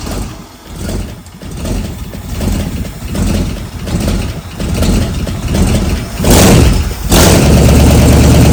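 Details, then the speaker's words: Engine from a '64 Galaxie build on a home-built run stand, no working choke: slow uneven cranking that stumbles, then catches roughly and surges; one carburetor side sprays fuel, the other doesn't. "See if I can get fuel. One side's spraying, the other side isn't."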